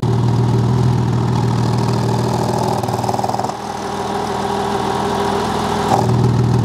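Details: Porsche 986 Boxster after fitting a Spyder Performance exhaust bypass valve set between the silencer and cat: deep, steady flat-six burble at idle with an even low beat and throaty exhaust, no misses or knocks; runs healthy.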